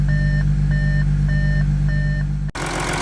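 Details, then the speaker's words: 2014 Audi SQ5 3.0 turbo diesel, high kilometres, after crank-no-start repair: steady, even low diesel idle hum with repeating dash chime, no misses or knocks. "Oh, beautiful. First go. That is fantastic. And it sounds like it's idling very well at the moment."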